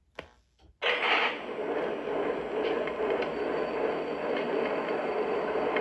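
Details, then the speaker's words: Lionel Conrail SW1 switcher powered up on track after Lionel warranty repair of a noisy smoke unit: brief click then a steady soft hiss and hum, previous noise gone, no rattle or buzz, smoke coming out; normal smoke unit running. "all right I do okay the noise is gone let's get that out of the way they fixed it yay and I do see smoke coming out"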